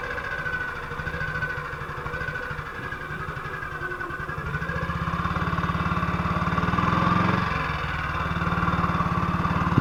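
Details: 1958 BSA C12 single on a road test after its misfire was fixed: even thumping with no skips that rises a little with throttle. It sounds healthy, pulls cleanly and sounds like it used to.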